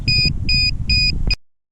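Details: DJI Mavic Air remote controller developed a fault: shrill high beeps repeating about three a second, nonstop and uncontrollable, sticks also moving on their own; cause unknown, continuous fault beeping.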